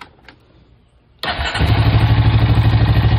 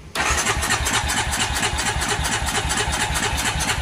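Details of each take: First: Honda Rancher 350 ATV after turning down the carburetor idle screw from a too-high setting: quiet, then the engine catches and settles into a steady, even low idle with no misses or knocks; normal idle. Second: Honda Rancher 350 ATV after fresh fuel, battery and oil: starter churns about six seconds, then catches and holds a fast, raised idle; idle screw set all the way up by a previous owner.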